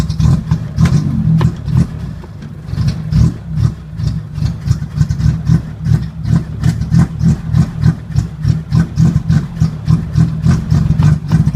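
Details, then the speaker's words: 1980 Chevy Luv, carbureted engine barely run in years, started on jumped battery: low lumpy exhaust beat about three uneven pulses a second with surging; stumbles, won't hold idle. Owner finds carburetor trashed, plans cleaning; cause suspected, not confirmed. "yeah that carburetor is just trashed up well let me see about digging into it"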